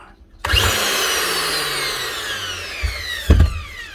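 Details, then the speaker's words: New angle grinder with a cut-through guard and wobbling blade: motor whines up then winds down with a rattly clunk, spinning before the blade does; something in the gear head has sheared, so the disc is not driven. "something sheared on side the blades actually not been driven by the motor she's just getting a little bit of a spin but you can see the motor starting before the blade spins so there's something going on there"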